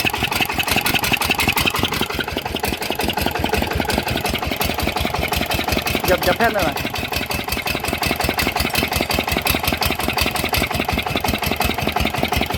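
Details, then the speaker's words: Yanmar 160 single-cylinder diesel idling after rebuild: it starts easily and gives a crisp, regular thump with no knocking or bearing rumble. Bearings quiet; a tight, healthy engine. "เสียงก็ประมาณนี้นะครับติดง่ายนะครับเสียงแน่นดีกลัวเงียบนะครับลูกปืนเงียบนะครับ"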